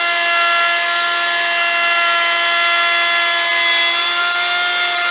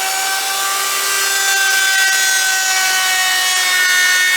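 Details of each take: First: Router with a long bit and the bearing set at template height, shaping an electric guitar body: the high whine drops in pitch as the bit bites, stays low, then winds back up. Bogging from taking too much wood at once. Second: Router shaping an electric guitar body on a lighter pass taking less wood: a high steady motor whine with a bright cutting hiss holds its pitch. Smooth routing with no bogging.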